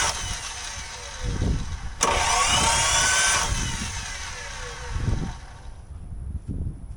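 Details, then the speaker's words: 1984 Toyota Land Cruiser FJ60, long-stored, coil unplugged, first crank attempt: brief harsh starter whirr then slow uneven thumps; engine barely turning over, owner unsure it really cranked. "I don't know if we can count that as a crank. Is it actually turning the engine over?"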